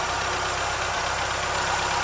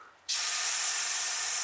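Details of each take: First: Triumph Spitfire MkIII after new valve guides and valves (170+ psi compression): warm, even idle with steady low pulse, lift rattle in background; running well, good air-fuel and oil pressure. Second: Triumph Spitfire MKIII cooling system pressurized: sudden steady high-pitched hiss as air and coolant foam leak from a silicone radiator hose.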